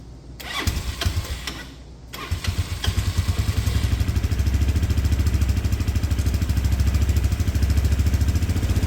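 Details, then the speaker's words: Auction-bought 250cc go-kart with vacuum-slide carburetor, after fuel system cleanup and idle screw adjustment, airbox off: a couple of stumbles and dropouts, then steady thumping idle about 200 beats a minute; owner suspects cutting out from missing airbox. "it runs sounds good we're cutting out a little bit there but I don't have the airbox on and these carbs the way they work with the vacuum slide in there they're pretty sensitive to air pressure"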